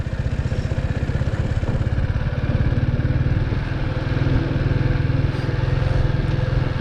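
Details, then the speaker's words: Big Boy Superlite 200cc manual single pulling away in first gear with no throttle as the clutch is released. The steady, even low thump turns more muffled and lower-revving than in neutral. Normal engine note. "moving every time i let go of the clutch the rev sounds change to a bit more uh i would say muffled sound uh it's not as higher revs as before with using neutral"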